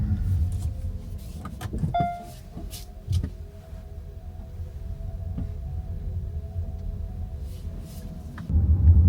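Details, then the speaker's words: Kia EV3 GT Line S after one year, driving over speed bumps after lubricating the tailgate electric lock with silicone spray; road rumble and dull thumps, no tinny rattle, boot rattle gone; owner suspects lubrication lets the lock clamp tighter. "Anyway, you can't hear it now. It's nothing like it, you know, it's not there anymore. It's a different car."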